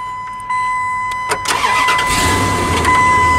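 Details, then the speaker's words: 1998 Dodge Ram with an intermittent no-start ignition fault, started after rewiring the ignition: starter whirs briefly, engine catches cleanly and settles into a steady idle with no stumbling or grinding. "there we go truck runs there you go happy redneck"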